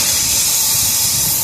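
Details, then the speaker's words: Isuzu NPR/NRR cab-over truck, 5.2 diesel, with boost-loss check engine light and derate, under charge air cooler pressure test: steady sharp hiss of escaping air at the intake pipe flange where it enters the engine; gasket leaking. "Oh yeah, yep, I hear it. Ooh, right there. Ooh. Yep, that's where it's leaking, right there."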